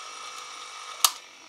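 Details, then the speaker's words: Sony WM-10 cassette Walkman, fully refurbished: thin constant high whine and hiss from the tape drive with one click; motor noise has grown louder with age. "as it ages this noise of the motor is getting louder and louder and louder"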